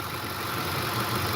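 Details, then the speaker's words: 2008 Ford F-150 V8 at warm idle, coolant 204°F, after a ticking complaint blamed on phasers following a flooded-road drive: steady idle with light, quick, even injector clicking from up front; no lifter tick, sounds normal. "up front now I can hear my fuel injectors and it's gonna shake to it but ain't the hand"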